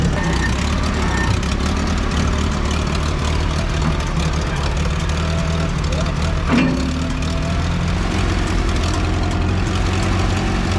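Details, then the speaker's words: 1960 International tractor after adding fuel: deep, steady low rumble with no stumbles or misses; idles smoothly and sounds healthy. "That's a lot better with fuel. That sounds good. Yeah, it's good."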